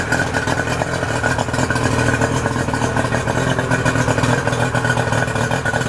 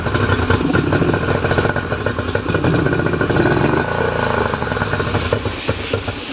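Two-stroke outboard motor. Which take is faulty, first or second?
second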